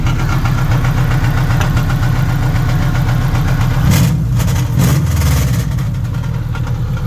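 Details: 1958 Volkswagen Beetle with Subaru 2.5 naturally aspirated flat-four swap, fresh build: loud, steady idle with a couple of quick revs that rise and fall cleanly; runs normally with no obvious knock.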